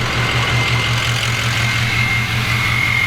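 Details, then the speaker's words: Adventure Bus turbo engine reinstalled and running after a bad cam was fixed: loud, steady idle with a deep even rumble and a faint high turbo whistle, no misses or knocks; normal idle. "Oh yeah, that sounds so much better now. Hell yeah."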